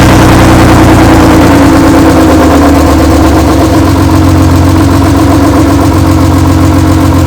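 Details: BMW E36 race car, rebuilt M52B28 inline-six, first start after the rebuild with a replacement used wiring harness: steady, even idle with a deep, smooth rumble and no knocks or misses. Runs as it should, though not yet tested under load.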